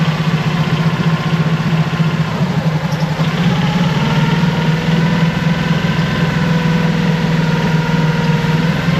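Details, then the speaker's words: Mercury 25 hp four-stroke EFI outboard after replacing the idle air control solenoid and other parts, warming up: low loping, hunting idle that seems about to stall; problem persists, cause still unknown. "Let it warm up. Seems like it's still going to die."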